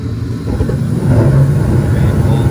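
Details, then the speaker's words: Attic gas furnace restarting after the flame sensor and igniter are refitted and a fuse is checked: a low rumble swells after about a second as the burner lights, settling into an even roar; clean, normal start. "i put back the flame and the igniter and i think everything will be running normal now here again the natural start normal after i connect it again now the flame will start"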